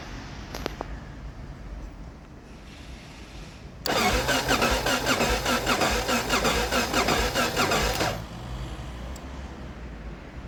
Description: Aprilia Pegaso Strada won't start. Turns over, battery is fully charged, has compression, air filter is fine, spark plug discharges fine, still no start.